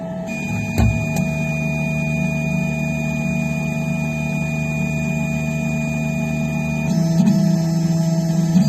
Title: Phrozen Sonic Mini 4k - Loud popping sound